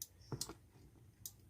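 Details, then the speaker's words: Car with an aftermarket alarm module under the dashboard, switched on by remote to find the turn-signal wire; sharp dry clicks about a second apart from the module's automatic turn-signal output after remote unlock. "ternyata yang ini yang bunyi ini otomatis lampu sein jadi ketika joknya kita kunci terbuka dia akan berbunyi otomatis disini untuk tek tek tek tek Itu otomatis di lampu sen"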